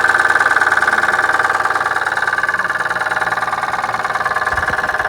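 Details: Dodge Stealth with freshly rebuilt 6G72 engine, first start: sharp regular knock about four per second on steady idle, seemingly from inside the engine, after tightening loose collector gaskets; no accessory belts fitted, so only the crank spinning.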